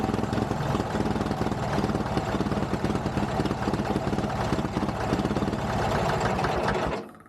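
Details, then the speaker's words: Old Caterpillar D2 5J bulldozer pony motor racing hard and fast with a busy uneven clatter, speed far too high for its size after the governor spring was shortened; over-revving from a maladjusted governor. "we got to adjust the governor this is ridiculous so I guess that made it rev out more"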